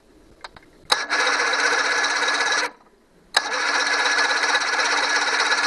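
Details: 1982 Johnson 90 hp outboard with no fire in 4 cylinders, checking spark on the ignition coils: two bursts of steady cranking about three turns a second, no knocks or grinding; normal cranking, fixed by cleaning coil ground terminals.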